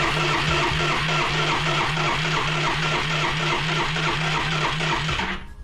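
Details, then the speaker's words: Yamaha Riva 125 scooter on a jump pack, starter cranking faster as if wanting to start: even churning pulses, engine turns over but never catches, no fresh gas added; fuel line later found dry-rotted and broken. "That's definitely trying to start."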